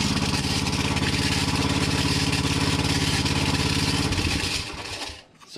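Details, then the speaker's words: Hinowa tracked minidumper gasoline engine at idle: steady single-cylinder beat about 150 a minute with harsh scraping grind on top; owner suspected worn pump coupling rubber, but cooling fan contact. "as you can hear there is some kind of grinding sound that is not supposed to be there but yeah we have to pull everything apart find out what it is"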